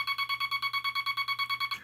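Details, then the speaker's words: Vibroplex bug with the dot stabilizer installed, wire preloading the dot contact spring a few thousandths of an inch: even, crisp dots about nine a second on a steady high tone, all the same length and spacing; sending cleanly. "So here is the stabilizer installed."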